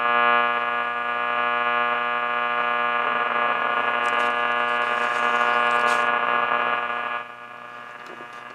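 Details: Philco 38-7 radio after its capacitor blocks were repacked, tone still lacking low end: a steady buzzing hum under hissing static with no clear program coming through, a weak station buried in noise.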